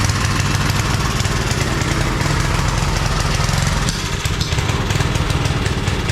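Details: 5 hp Briggs single-cylinder engine on a homemade wood splitter (Montgomery Ward ram), started without choke after adding more fuel; runs steady and even with a firm low beat, no misses or stumbles, running fine after refuelling.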